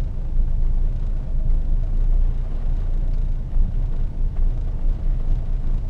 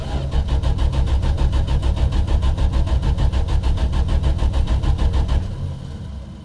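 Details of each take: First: 1974 Valiant after first cold start since August 2020, choke on, blowing a little smoke: low even rumble with a steady beat and no knocks once settled, a normal idle. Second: 1974 Valiant, first cold start after sitting about six months in cold weather, with a magnetic pickup ignition: the starter churns steadily for over five seconds without catching; cranks but won't fire, and the owner suspects a lack of fuel.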